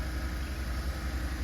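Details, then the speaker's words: 2007-2014 GMC Yukon XL 5.3 Vortec V8 after replacing a very noisy water pump and belt tensioner: low, smooth idle with an even beat, no whine, rattle or bearing growl, much quieter than before; normal idle. "Oh my goodness, so much quieter. Makes you realize how loud it was before when the other water pump was going out."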